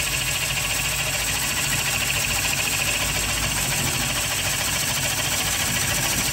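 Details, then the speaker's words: Bowl coring on a lathe with a Oneway Easy-Core, light pressure on the knife to stop bouncing: a steady even hiss of the cutter with no chatter, catches or bouncing, and the shavings clear freely. A normal, clean coring cut. "you can see these shavings are having no problems clearing themselves"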